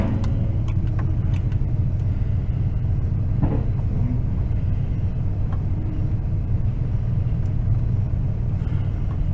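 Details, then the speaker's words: 2004 Toyota Tundra suddenly running very badly, with a leak seen underneath: deep, lumpy, uneven idle pulses shaking the whole truck; owner suspects the timing belt jumped. "she's probably even seated in the camera shaking the whole truck shaking"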